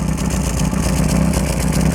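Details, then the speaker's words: Lotus Excel exhaust after rebuild with exhaust paste at joints, engine revving: steady low drone with a breathy puffing edge; still blowing at a joint where a weld has broken. "it's actually blowing from there still I'm gonna have to repair that from looks like the joints of the uh thing there is some damage here and it seems to have broken the weld a little bit there"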